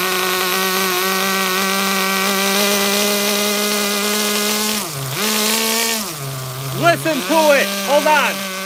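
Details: HPI Super Nitro RS4 Dodge Viper nitro RC car, cold engine at idle: steady buzzy idle that sags and nearly dies a few times before catching blips; mixture too rich.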